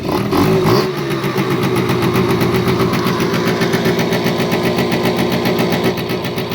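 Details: First start of an AF18e engine swapped into an AF09 scooter with a freshly welded exhaust: it catches after a short crank and settles into a quick, fairly even two-stroke putter of about four beats a second; normal idle.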